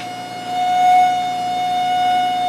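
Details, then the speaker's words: PVM2000 high-power plasma generator (up to 2000 W, 20-70 kHz) run near 30-35 kHz, power almost all the way up, driving a capacitive load: steady high-pitched whine at one pitch with faint overtones; normal generator whine. "I wonder what I said about 35 kilohertz cycle almost all the way up now we should be able to if you can hear that noise that's the capacitive load over there"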